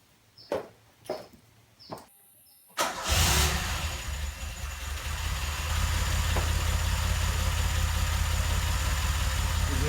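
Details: DeLorean after replacing fuel accumulator and pipes, first start checking for fuel leaks: a few quiet clicks, then engine catches cleanly and settles into steady even idle with no stumbles, no leaks found; normal start and idle.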